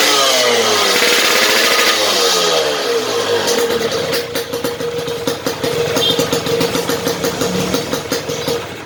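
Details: Yamaha RX King, standard non-ported block, fitted with a lathe-machined RXS head; an unmodified head would knock from too-high compression. Crisp revs climbing and dropping with popping exhaust and no pinging: normal running without detonation.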